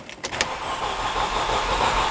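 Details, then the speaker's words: 2005 Mercedes CLK with the 271 engine, low-coolant message showing, earlier camshaft sensor code reported: cranking bursts, then it nearly catches but never settles into idle; crank no start confirmed despite many replaced parts. "oh and it wanted to start one more time almost well i guess that's customer complaint confirmed this car is a crank no start"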